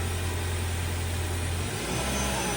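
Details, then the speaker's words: 2018 Ford Fusion Hybrid after HF35 transmission replacement (failed stator bearing caused loud squealing), restarted: steady low engine hum at idle with no squeal or whine from the transmission; normal idle. "So, you hear more engine noise than anything else."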